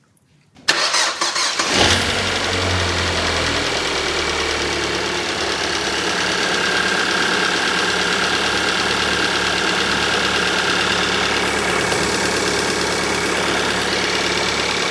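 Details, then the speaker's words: Kia Soul with freshly installed replacement engine, after a failed earlier repair attempt: short crank, quick catch, then smooth, even idle with no stumble or misfires, running quiet and steady; normal start and idle. "this sounds pretty good. No misfires. Runs quiet and steady. Yes, I'm happy with this."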